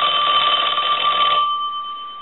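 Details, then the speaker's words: Western Electric Princess telephone final check after repairing a bell mis-adjusted during earlier refurbishing; clear bright double-tone ring, clean decay, no buzz or rattle; ringer fixed. "so I'm going to go ahead and ring the phone I'm going to let that go a couple of times since that was the issue"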